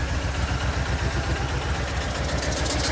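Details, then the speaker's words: Replacement vehicle at idle: deep rhythmic thumping about four per second under rough idle with misses; loudest down low, owner guesses bottom end, no fluid leaks; cause unconfirmed. "But down under here. If I had to guess, it's coming from the bottom end. That's where I can hear the noise the most."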